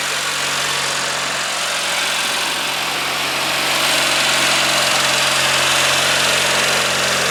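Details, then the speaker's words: Early-1990s Craftsman GT6000 tractor with a Kohler Magnum 18HP, just after a complete carburetor cleaning and rebuild, with a smooth, even idle, a steady beat and no misses or surging; it sounds healthy. "amazing my goodness that sounds so nice this is one of those engines that I think if you take care of it just going to run forever"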